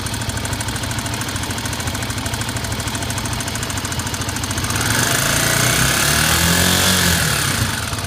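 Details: Honda XR 250 single-cylinder idling with a quick patter around 200 taps a minute from the cylinder head, louder after five seconds, knock comes and goes; suspected cause unadjusted valve clearance; intermittent engine knock.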